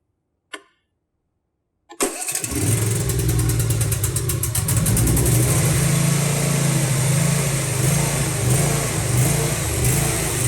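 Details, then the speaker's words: Briggs & Stratton V-twin with Nikki carburetor catches after a click and runs with a slowly rising and falling, hunting surge; the surging mostly clears when the choke is on. "as you can see this briggs and stratton v twin has a bad surging problem"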